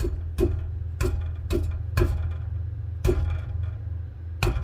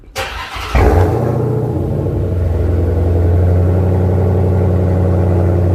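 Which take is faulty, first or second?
first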